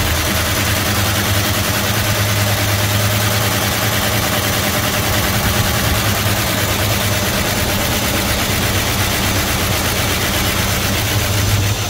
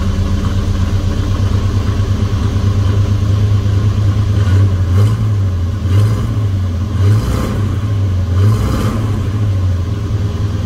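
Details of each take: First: 1971 Dodge Coronet police car, 4-barrel 383 big block started after about 30 years of sitting, mechanical oil gauge fitted: a loud, lumpy V8 idles about twelve seconds, then sags and dies as oil pressure builds, the engine unable to take the load. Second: 1971 Dodge Coronet police car, 4-barrel 383 big-block V8, after sitting since the early 1990s, new plugs, wires and oil: deep steady idle with a couple of gentle blips, even firing; "purrs like a kitten". Normal idle.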